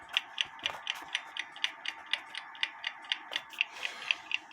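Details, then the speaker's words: Kienzle carriage clock (made 1898–1923), movement not disassembled, hairspring collet adjusted to set beat, heard through a sound amplifier: crisp, even ticks about two a second with equal tick-tock spacing; movement still running in beat after repair, previously stopped. "B amplifier still sounding good the Clock movement is still running and hopefully it stays running"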